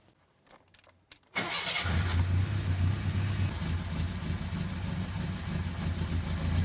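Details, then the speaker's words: Datsun 1600 L-series four-cylinder on the dyno, converted to EFI with motorbike throttle bodies and coil packs. After a second of clicks it fires straight up with no ECU errors and settles into a steady, even low idle rumble, before the trigger angle is adjusted. "see fired straight up so obviously it's closed and see it's running full no errors perfect"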